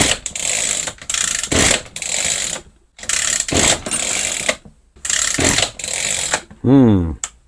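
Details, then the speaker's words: Echo GT-2200i string trimmer with Easy Start, after tightening a suspected air-leaking screw: eight or so quick rope pulls, each a short rasp with no firing; cranks but will not start. "it's not starting looks like we got to delve a little bit deeper into this"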